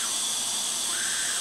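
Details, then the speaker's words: Craftsman self-propelled mower, 6.5 hp Briggs & Stratton, engine off, leak-down test about 30 psi at 50–60 psi in; steady high airy hiss heard at the exhaust, air leaking past the exhaust valve, bad valves or valve lash suspected. "so let me show you if you can hear the difference in the tone so it's definitely some wee thing coming out of the exhaust valve"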